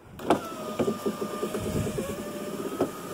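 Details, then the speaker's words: 2001 Chevy Venture power window after Dorman 924-072 motor mount repair kit fix (window went down but not up): even motor whine with light regular ticking, no binding; window goes down and up smooth, motor still shifts slightly. "so let us see what this window does now window goes down smooth"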